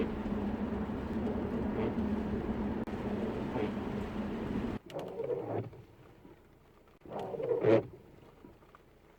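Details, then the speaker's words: Car at 50 mph on cruise control, wipers on, used blades never edge-trimmed: steady road hum, then two wiper sweeps that each squeal with a rising, squeaky screech across the windscreen; the worn blades are suspected. "so we'll set the cruise control at 50 miles an hour can you hear that screeching"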